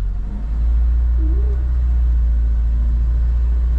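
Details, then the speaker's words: 1975 Lada 1500 (VAZ 2103), under 70,000 km, started cold after six months standing, reversing slowly out: smooth, deep, steady rumble with no knocks or rattles, engine purring like a cat; normal running. "Slyšíte ten motor přede jako kočka. Po půl roce stání a v kose, jo, v kose."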